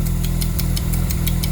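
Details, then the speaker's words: Mazda RX-7 Turbo II rotary after cold start from about three months' storage, idling around 1350–1400 rpm, heard from outside: idle pulses then sags and recovers, hunting; owner suspects a faulty device and can't adjust without a laptop. "See, now it's going to hunt a lot though. That's the problem with these things. Yeah, it's going to sound like that. And the idle's more correct, but do you see that hunting?"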